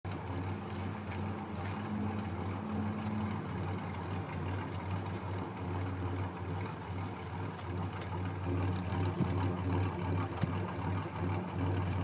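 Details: 1990 Ford Ranger with swapped-in 1994 4.0L engine idling rough: low, lumpy idle with uneven beat and occasional stumbles over a steady drone; cause unclear.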